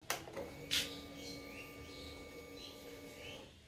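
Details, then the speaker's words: Hero Glamour XTEC motorcycle, ignition switched on: a steady high hum from the fuel tank for about two and a half seconds, felt as a vibration on the tank, then stops cleanly. This is normal fuel pump priming. "और अगर आप फिर से notice करोगे तो मैं फिर से इग्निशन ऑन करता हूँ और आप टैंक पे हाथ रख के फील करोगे तो एक वाइब्रेशन सी होगी।"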